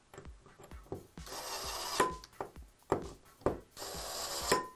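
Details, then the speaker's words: Hakko CHP brush-series electric torque screwdriver: short motor whirr driving a screw, then crisp clicks once seated as the clutch slips at the set torque value; normal torque clutch click-out. "hear that clicking I hear the clicking that means that means that your torque setting has reached its torque value"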